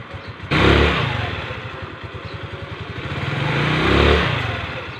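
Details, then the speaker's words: Rusi Gala scooter after its heat-hardened CVT V-belt was replaced, which had caused scraping in the CVT. Engine blipped twice, revs rising and falling cleanly with no scraping; normal CVT operation. "bale nawala na yung parang tunog na kumikiskis mga sir"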